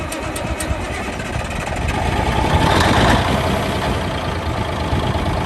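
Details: 1971 Peterbilt 352 diesel, sat for a few days, cold start with a little ether: cranks and catches, then settles into a steady, even low rumble at idle with no knocks; healthy cold start.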